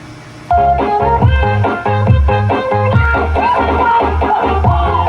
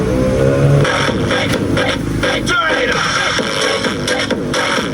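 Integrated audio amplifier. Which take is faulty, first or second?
second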